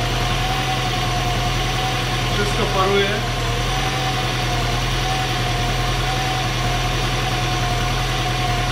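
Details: Seat Cordoba 1.6 at idle after head gasket replacement, first start: smooth, steady idle with even low hum, no knocking, ticking or hunting; normal idle.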